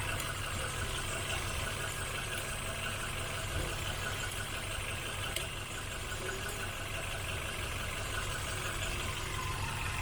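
Steady, even idle with a smooth low rumble and no misses, stumbles or knocks; the engine is running cleanly.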